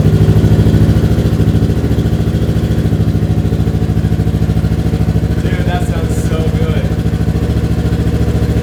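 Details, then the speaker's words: Rebuilt Yamaha R3 twin, first start after fresh coolant, new oil and a primed fuel pump: quick, even pulse at idle and clean pickup on revving, no misses or rattles; runs healthy. "oh ye of little faith this sounds like a freakin 1,200 monsters right"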